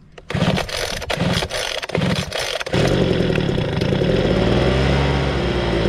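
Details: 26cc two-stroke gas engine, cold start: a few sharp pull-cord tugs, then it catches and settles into a steady, even buzz with no stumbling or misfire; afterwards the engine is said to be pretty hot.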